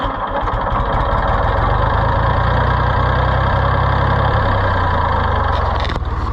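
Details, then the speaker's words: Neglected auction Ford 4000 tractor, plug wires had been backwards: low loping idle with uneven thumps about four per second, never steady; runs rough, governor action near zero, gummed carburetor with stiff shaft suspected. "they had them backwards so it does not run that well it needs some attention the governor action is about zero but I think that's because the carburetor is so gummed up"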